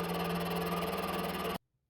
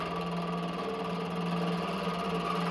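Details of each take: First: Used mini milling machine, first test with thin spindle belt, taking a light shallow cut on aluminium round bar: steady motor hum with even cutting hiss and no chatter; normal light milling. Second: Used mini milling machine with thin spindle belt, rusty and dirty inside, cutting steel with oil: steady loud machining drone with a strong fixed tone and rapid fluttery chatter; Y axis unlocked and drifted; noisy cut, no clear cause.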